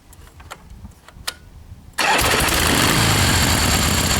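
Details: 1976 Harley XLCH Ironhead at rest: quiet fiddling, then fires straight up into strong even-beat idle without stumbling; starts and idles fine, though it misfires a lot when ridden.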